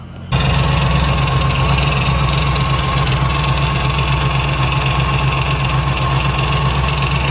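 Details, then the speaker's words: 1967 Pontiac Firebird with a Pontiac 455 V8, starting and idling: a quick, steady rattle of about four taps a second that increases with rpm; stethoscope ruled out the valvetrain; traced to the power steering pump pulley. "it's kind of a it's a noticeable rattle at idle and it increases with rpm speed"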